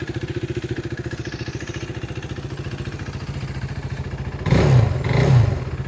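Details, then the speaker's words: 2016 KTM RC 390 BS3, single owner, about 5,000 km, ECU checked, starts and idles with a steady, even single-cylinder thump, then two clean throttle blips. A small clutch-cable issue is noted. Normal idle and revving. "Just first തന്നെ ഒന്ന് sound ഒന്ന് just കേൾപ്പിച്ചു തരാം just ഒറ്റ സെൽഫിയിൽ തന്നെ വണ്ടി start ആവുകയാണ്"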